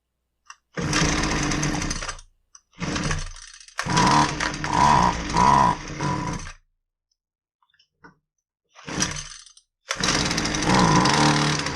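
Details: Husqvarna 128LD two-stroke string trimmer with edger attachment, which only runs on half choke; air filter fair, fuel tank clean: catches and runs in short rough bursts of a second or two, then cuts out. Lean running from fuel starvation.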